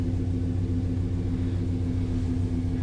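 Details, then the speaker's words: S10 V8 with a new larger intake, idling steady and even with a deep low rumble but slightly fast; the owner blames the bigger intake drawing more air and expects a tune is needed. The idle drops once warm. "and it does idle a little bit higher too which i think that could just be the the bigger intake it does tend to come down once it warms up"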